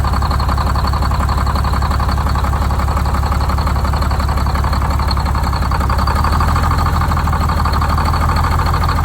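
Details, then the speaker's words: Detroit Diesel 6-71, first start after new 4-valve head install and Davco 382 fuel filter, valve cover off, idle set with buffer screw: steady even diesel clatter with no misses or surges; normal idle. "I don't know if you saw these oil flickers coming out, just coming, so I can't rev it up without the valve cover on, but it evened out pretty good there. Got the idle set."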